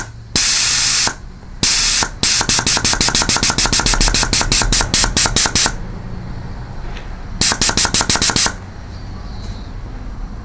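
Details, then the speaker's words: Reconditioned 5L40E transmission shift solenoid on air tester, power applied after end-plug adjustment; rapid sharp clicking with crisp air-hiss bursts as valve snaps open and shut; normal solenoid operation. "So now we'll put the power on and just test it. And there it is working with the power"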